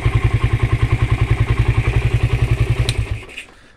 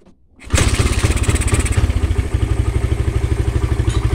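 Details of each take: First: Suzuki Satria FU that had stumbled and would not take throttle, with the original regulator/rectifier in place of an imitation one: even, steady thumping about nine beats a second, no misses, then cuts off; normal idle. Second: Suzuki Satria FU, whose complaint is stumbling and refusing throttle despite carb cleaning and new plug: cranks briefly, catches at once, settles into an even steady idle thump about twice a second with no misses; normal start and idle.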